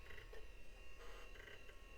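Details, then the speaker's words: Compaq Presario 4240ES desktop restarting after clean-up, with the power supply tested fine: irregular croaking chirps in short bursts over a low hum from the hard drive; drive likely failing. "Oh, right at the end there. I hear the head scratching against the disc. Yeah, this one may not have any hope."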